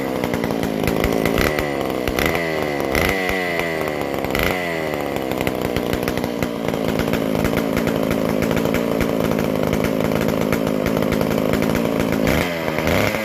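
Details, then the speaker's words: McCulloch Super Pro 125C chainsaw, first fire after cleaning, intake boot and new-old-stock muffler, after idle speed/mixture adjustment: revs up and settles to a steady, even two-stroke buzz without surging or hanging; runs clean now. "So, all right. Hopefully, we'll be right back to pulling her over. That sounds a lot better."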